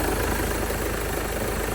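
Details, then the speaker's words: 2016 Mercedes B200d W246 diesel, after replacing the micro-V belt and noisy, loose idler pulley: steady, even idle with smooth rhythm, no chirp, squeal or rattle; much better than the horrible sound before, normal idle. "that already sounds much better because this car was sounding really horrible"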